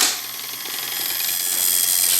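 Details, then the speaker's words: Advance Machine Co. penny arcade shocker, customer's, after a bad wire was replaced, contacts cleaned and clockwork oiled, handle cranked to wind the clock: steady high thin buzz of a working vibrator switch with clock ticking underneath; timer runs about 30–40 seconds. "right, I'm buzzing, my switch is working, and there's the clock ticking away."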